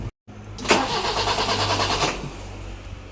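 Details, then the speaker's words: BMW E30 with M10 engine: after about 5 km of normal driving it suddenly misfired badly and shook; here it cranks, catches briefly with an uneven stumbling beat, then dies. Throttle won't raise revs, black smoky exhaust. Misfire, cranks but won't start. "Enggak bisa hidup. Tadi hidup sih. Nah, getar terus."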